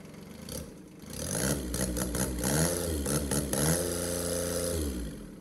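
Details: Case 220 hydraulic-drive mower tractor with a swapped-in Kubota D600 diesel, run briefly without coolant or radiator: it cranks, catches, revs, then settles into a steady clattery idle before shutting off. Normal start and idle.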